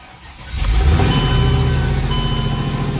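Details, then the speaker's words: Mercedes E55 AMG V8 cold start after tightening loose header bolts, Marvel Mystery Oil added to fuel and oil: starter catch then strong even idle with no ticking or puffing; header leak gone, though cylinder 4 misfire code persists. "this one now that I started it cold no no leak sound you know that usual coming out of here all that stinky stuff"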